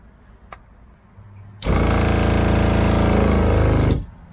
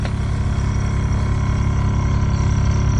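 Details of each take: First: RV water pump with no tap open: quiet, then pump buzzes and chatters rapidly about two seconds and stops, repeatedly priming itself; cause not yet found. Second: RV fresh-water pump that kept re-priming, after filter cleaned and refitted and lines aired out: steady low even hum and pulse with no surging or cycling; no hesitation, running normally and no longer re-priming.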